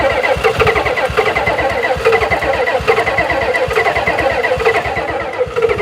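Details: 1991 Ford F350 dually, 7.3 IDI diesel, not run since 2010: rapid, uneven cranking chuffs, catching only raggedly and never settling to an even idle; owner unsure of fuel pressure and suspects fuel delivery, considering a new fuel pump.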